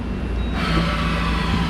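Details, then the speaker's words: Okuma MX-45VA machining center jogging an axis: steady, smooth low drone with only light rustle from the way covers, no grinding or vibration; machine sits on wood, unbalanced, so it shakes slightly; healthy traverse. "Same thing, super smooth. All you hear with this is the weight covers a little bit."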